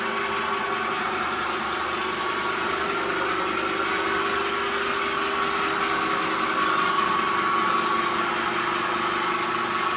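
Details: New 3-meter screw conveyor on its factory test run after fitting the motor and reducer: steady, even hum with a constant mid-pitch tone, no knocks or grinding; normal running.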